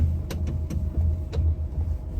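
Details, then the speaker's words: Ram Promaster van, steering wheel being turned: dull, springy clunks and snaps, about five in two seconds, with a boingy hum felt in the wheel; the spring catches and releases because the strut bearing is worn. "that okay that is a strut and that noise is the spring catching as it rotates cuz the whole spring thing rotates and it's catching and releasing because the the strut bearing is bad"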